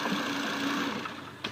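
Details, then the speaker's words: Volvo with the engine running: as the engine winds down after a throttle blip, a light, fast chattering rattle rides over the fading whir; caused by the clutch-type alternator pulley, which the mechanic plans to try lubricating to buy time. "What that's being caused from is this pulley right here sits on top in front of the alternator. So that's the alternator pulley itself."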